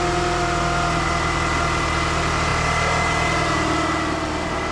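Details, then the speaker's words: 2006 Chrysler PT Cruiser with 2.4 engine at idle: steady whine riding constantly above the idle, the customer's main noise concern; traced with a mechanic's stethoscope to a noisy alternator, which is then replaced. "Now our customer's main concern is this noise that they're hearing."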